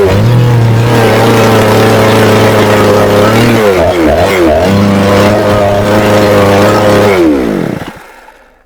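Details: Chinese Procraft chainsaw that starts but runs intermittently with heavy white exhaust smoke and stalls, worse once warm; steady high buzz stumbles and sags, picks up, then dies. Owner finds it is flooding with fuel, cause unknown, adjustment suspected.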